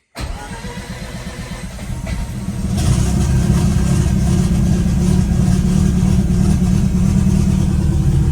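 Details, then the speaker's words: Mazda RX8 Renesis 13B bridgeport rotary turbo on Microtech ECU, after retuning fuel maps and new starter: catches quickly after a short crank and settles into a steady even idle, little exhaust smoke; starts cleanly. "It seems to be fairly happy. Not heaps of smoke coming out of the exhaust."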